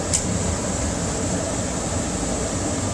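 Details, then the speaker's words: Carrier 58MCA gas furnace after DIY replacement of blower motor (GE 1/2 HP 115 V 1075 rpm), blower wheel and run capacitor: smooth, even blower rush with steady high whine, no scraping or rubbing. Normal blower operation after repair. "wow that sounds really smooth probably could have done a better job installing that oh let's fix that while we're going oh yeah that sounds great"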